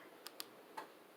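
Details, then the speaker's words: New Modern Fan Company Cirrus 50-inch capacitor-based ceiling fan with 350 light, made in Taiwan, spinning down after remote-controlled low speed: three faint sharp clicks in under a second; click is normal for this fan's motor. "You can hear the click. Man, that's normal for this fan. I've tested the motor without using the control, and I know that the fan works."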